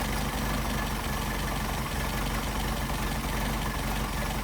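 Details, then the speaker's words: Engine with rebuilt twin Solex carburetors, linkage disconnected, synchrometer airflow reading 5: slow lazy deep even chug at about 550 rpm, to be raised to around 700; idle speed set too low. "Now, according to our RPM scale, we're only running about 550. There's our RPM right here. 400, 500, 550. So let's bounce it up to where it should be right around 700."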